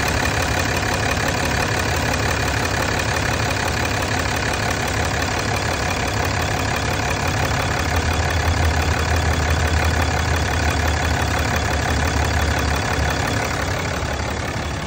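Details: 2007 Dodge: steady rough idle with a faint pulsing chuff over the engine note; crankcase blow-by suspected, not confirmed.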